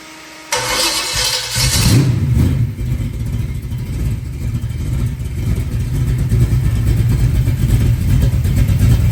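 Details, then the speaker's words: 396 big block Chevy on a run stand, first run after rebuild with fresh oil, open exhaust, stock-jet carburetor: catches quickly, flares up, settles into a strong even run with quiet top end; healthy. "I mean, it's spot on. It runs beautiful. Even this carburetor runs great."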